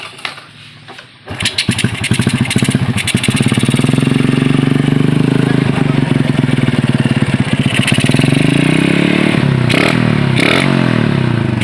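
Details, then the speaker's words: Yamaha Jupiter Z with PE24 carburetor fitted, standard ignition, tested after installation: starts, holds steady throaty idle with deep whooping helicopter-like intake roar, revs blipping; runs fine. "Mantap, kedengarannya seperti helikopter."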